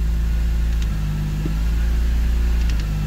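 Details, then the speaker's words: 214k-mile Dinan E46 M3, warm idle with uneven loping beat and stumbles; running rich, codes recently cleared, better than before; owner suspects MAF; later stalled after a 2k blip. Rough idle. "can hear it in the idle. And just as I say that, it's stumbling. But it is a lot better than what it was, so MAF could be an issue."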